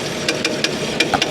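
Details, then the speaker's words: Auction car after a jump start: sharp, regular metallic knocking about five times a second over the idle as the detached crank pulley harmonic balancer slaps; engine also seemed low on compression. "crank pulley it's the balancer on the crank pulley that's doing that the balancer on the crank pulley has come detached and uh and that's what's making that noise"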